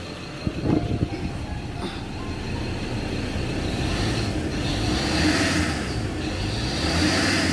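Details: Ford Ranger Wildtrak 3.0–3.2 diesel revved while listening: rough hiss and grinding squeal, bearing-like, with rumble beneath; serpentine belt at fault, replacement ordered.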